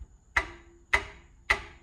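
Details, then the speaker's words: Racing car with boost-control trouble, wastegate tapped by hand: three crisp metallic ticks ringing briefly, unlike the other wastegate which stays silent; internal screws holding the valve plate have likely loosened, leaving it floating and rattling. "You hear that? That metal tick? Why isn't this one doing that? So something is going on in this guy."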